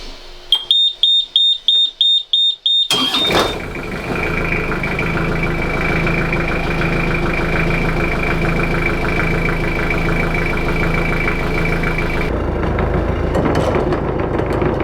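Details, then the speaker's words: Beta marine diesel, no turbo, newly installed in wooden boat, first start after bleeding fuel and filling oil: panel beeps, then catches at once and settles to a steady, even idle with no knocks; runs normally. "No, she runs. It's good. It's easy."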